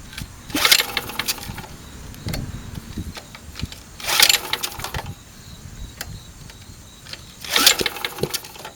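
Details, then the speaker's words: Sportsman 2000 W generator, small engine pulled three times on the recoil starter without catching, sharp pops while turning over; valves adjusted too tight upset valve timing; fix was loosening the valves back. "when I tighten up these valves I messed up the valve timing I'll see if you can uh see if you can listen here listen for a popping noise"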